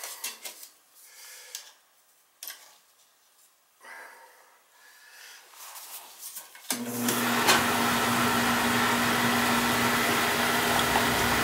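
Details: Beckett oil burner on a steel boiler, fired after a burner service and tank filter change for better oil flow: quiet, then lights with a sudden steady roar and even hum, draft good; clean, normal firing.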